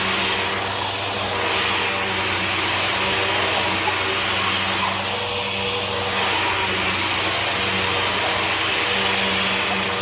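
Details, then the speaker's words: Bissell CleanView Bagless 8990, 12 amp: a steady high-pitched motor roar with a rough, wavering edge and weaker suction than expected. Owner suspects a replacement newer motor and that the brush roll may need replacing. "Yeah, I feel like this has a replacement motor in it, because it sounds like one of the newer Bissell motors, and the suction isn't as good as like what I would expect from a 12 amp CleanView."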